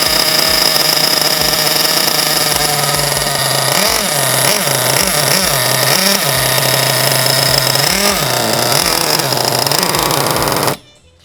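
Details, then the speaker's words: Nitro engine in a Basher SaberTooth 1/8 truggy during break-in: shrill, buzzy, blubbering and surging with very rich needle settings, then dying once the glow igniter is removed; rich running. "Now, since the needle settings are so rich, you might encounter the problem we just had where the engine is going to die on you once you remove the glow igniter."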